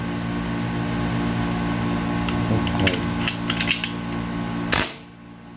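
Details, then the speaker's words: Armscor airgun, port reportedly enlarged by maker, owner suspects unbalanced spring: each shot comes out as a double or triple crack instead of one clean pop, typical of hammer bounce on the valve. "so kung makikita niyo nagdodoble triple yung tunog ng putok Hindi isang putok lang yung palo niya"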